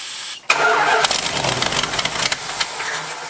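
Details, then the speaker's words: 1986 Dodge Ramcharger fed from a boat tank instead of the factory gas tank; cranks, catches, runs rough and unsteady for a few seconds as if fuel-starved, then stalls after start. "[Applause] oh it dies but all right we got fuel at this point"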